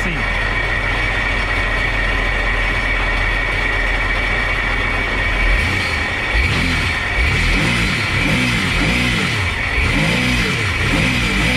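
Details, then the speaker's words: Seadoo jet ski after replacing leaking spark plug tubes: steady idle then clean smooth revs with no misfire, no smoke. Before the repair it smoked heavily and would only click, not start. "That's a good sign. Again guys, it was smoking like crazy when we turned it on before we replace all these plugs, and now it's perfect."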